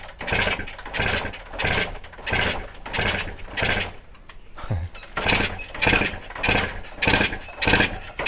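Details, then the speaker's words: Kawasaki ZX150 (RR) two-stroke motorcycle, carburetor just refitted, crankcase flooded with fuel; repeated start attempts about every 0.7 s, engine coughing but not catching, hard starting from fuel-filled crankcase. "Sekarang kita try start motor ni. Dia memang susah hidup sebab minyak dekat dalam crankcase tu dah penuh. Kita dengar bunyi motor pun dah tahu dia punya enjin tu dekat dalam penuh dengan minyak."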